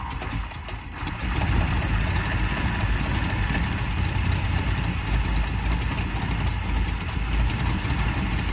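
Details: 1979 Ford Fairmont two-door police car, first start after its carb was cleaned out and spark confirmed: quiet, then it fires within a second and settles into a deep, steady, very low idle without stumbling.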